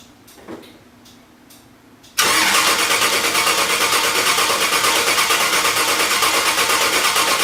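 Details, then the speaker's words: Starter cranks at a steady three pulses a second but the engine never fires; owner thinks he hears the fuel pump after reconnecting a loose wire, but air puffs out at the fuel check, so owner suspects air is keeping fuel from the engine. "Well, check for fuel again. Okay, air puffed out. So I'd say fuel's not getting up here because of all the air."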